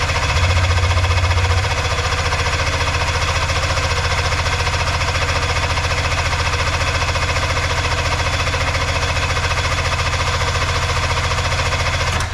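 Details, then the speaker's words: Arctic Cat Puma Deluxe 340 snowmobile, sat about 10 years, around 45°F, after backfilling the fuel line and fuel filter and fuel pump now pumping: steady even cranking about four beats a second that never catches; turns over but won't start. "All right. No running though."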